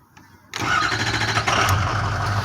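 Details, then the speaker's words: 6.0 diesel truck, fixed after FICM repair, previously hard to start on cool mornings: short crank, catches in about half a second and settles into a steady, even idle; normal start, much quicker than before. "it really didn't take as long as it used to do but that was pretty quick"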